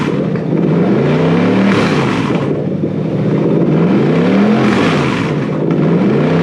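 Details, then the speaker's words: Toyota 3UZ-FE VVTi V8 freshly wired to a Haltech Elite 2500 loom: blips cleanly, pitch rising and falling smoothly with each throttle stab, no misses or knocks. Normal revving. "Anyway, does it go? Brum brum. Pretty sure it does. The earmuffs are required."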